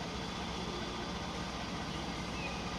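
Steady V6 idle with a dull, regular knock tapping under the low rumble; a knocking engine at idle, cause still unclear.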